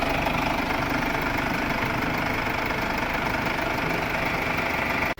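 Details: Mercedes W212 OM651 diesel idling during coolant bleeding to push out residual oil after an oil-into-coolant leak repair: steady, even clatter with a constant beat and no misses or knocks, then shut off; healthy idle.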